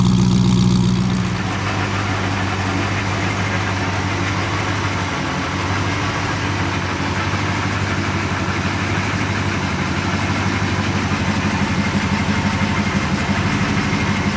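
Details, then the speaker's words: Porsche 928 V8, warming up before an oil change to 20W-50 mineral oil, idling with a light, fast tick of about three per second over the rumble; a valve was ticking constantly, heard with a stethoscope. "before I had the tick tick tick tick all the time from one of the the valves I think it on 7 to five uh with my stethoscope I was listening and I could hear it ticking away"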